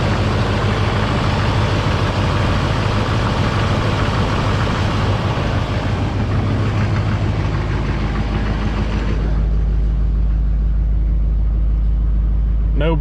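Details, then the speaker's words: Parts Suburban with Duramax diesel, check engine light for turbo vane position sensor and glow plug: deep steady rumble with even beats, no knocks or misses; idles smoothly. "suburban thing runs real smooth"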